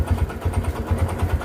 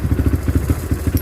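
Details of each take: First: Kawasaki Barako 2 motorcycle engine at a rough, loud idle with a heavy low thudding knock on each beat; very noisy from a connecting rod problem, and the engine is to be taken down to replace the rod. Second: Kawasaki Barako 2 single after new connecting rod fitted, breaking in: even idle thumps, about seven a second, steady beat, no knock or clatter; quiet and back to normal.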